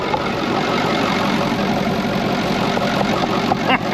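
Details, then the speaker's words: Brockway 358 truck with Cummins 555 diesel after a valve adjustment, loose injectors adjusted and intake valves tightened: steady, even diesel clatter at idle with no loose tapping, sounding much better; normal idle. "it sounds so much freaking better all i did was literally all that i really did was we just adjusted whatever injectors were loose and uh tightened up pretty much all the intake valves"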